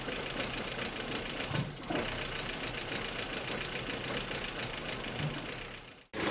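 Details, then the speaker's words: 1.8T Audi A4 wagon, cold first start after months idle, fresh oil, new ignition coil harness: rough idle with uneven hissy tone and dry-lifter ticking. Vacuum leak under the intake, not a misfire. "not a misfire it's a vacuum leak I'm so stoked that is just great news"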